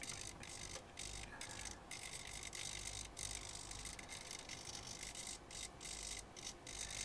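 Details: Elektor Laser Timer Writer (violet laser writing time on glow-in-the-dark sticker) with micro servos: quick bursts of thin servo whirr, about three a second, with brief gaps between strokes; writing servos running normally, though writing position looks uncalibrated.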